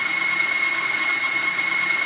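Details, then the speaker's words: Timken bearing test rig under a 5 lb load, lubricated with Tetra gun lubricant: a continuous shrill, steady screech as the lubricant breaks down, smoking within 3 seconds, causing severe bearing damage from friction and heat. "all of these competing products failed to protect against friction and heat and cause severe damage to the bearing"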